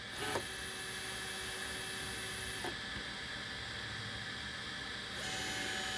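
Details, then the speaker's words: Easythreed K1 3D printer after upgrading the X and Y stepper motors to cure a clicking noise, axes jogged from Cura before homing: even motor whine in short runs with no clicking or skipped steps; normal stepper motion. "oh there it went i don't hear any clicking let's try homing it"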